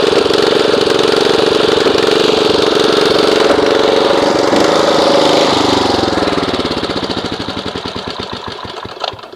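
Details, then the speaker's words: Snapper RER Comet rear-engine mower, single cylinder, sat about a year: uneven, lumpy beat and hunting speed, then winds down and stops; rough running, later fixed with fuel additive. "I used it last season when I did my scalp because it's got the bagger attachment on it. And I want you to listen to how it's running."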